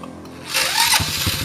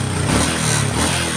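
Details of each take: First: Honda Karisma motorcycle that is hard to start in the morning, uses too much fuel and blackens its plugs: after a starter burst it lopes unevenly and won't hold idle even with the air screw adjusted. It sometimes revs up or stalls, from a leaking carburetor diaphragm. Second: Honda Karisma single-cylinder after carburetor cleaning for hard morning/hot-restart starting, fouled black plug, high fuel use and stumbling (fuel entering via membrane): starts instantly on electric starter, steady even healthy idle, normal idle.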